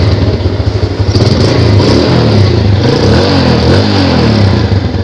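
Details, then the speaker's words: Yamaha Jupiter Z after fixing dak-dak-dak knock traced to one-way starter clutch on the magneto rotor (three bolts replaced): smooth even running rising cleanly when revved, no tapping; now quiet. "digas sama tidak digas dia tetap sama anteng suaranya sekarang menjadi benar-benar angok"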